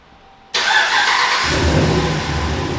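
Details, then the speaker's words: Ram 1500 5.7 Hemi, first start after repairing a passenger-side exhaust manifold leak (broken stud, new gasket and bolts) that caused cold-start ticking: cranks and catches at once into an even idle with no ticking or puffing, a normal idle. "oh yeah she sounds like a brand new one"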